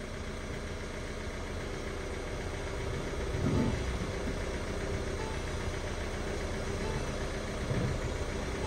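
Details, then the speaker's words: Ford Fiesta Vignale Mk8 1.5 diesel after timing belt and water pump replacement, clutch bled, engine light on, likely from unplugged parts. Steady, even diesel idle clatter with brief swells in level, no knock or miss; ticking over normally. "running and Ticking over lovely so it was a good job really it was a good job"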